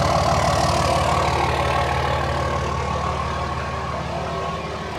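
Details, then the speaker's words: 3rd-gen Dodge Ram 5.9 Cummins after oil and fuel filter change, which took extra cranking cycles to fire: even diesel clatter at about three beats a second with no stumbles, a healthy smooth idle. "Seems to be running good now though. God, this thing sounds good."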